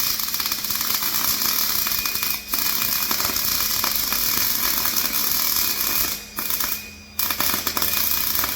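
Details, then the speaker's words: Welding a flatbed for a 2006 short box Ford F-250: uneven, crackly sputtering with pauses, no steady sizzle; wire feed speed too low, needs more speed. "I think we need a little bit more speed. We're still looking good there though."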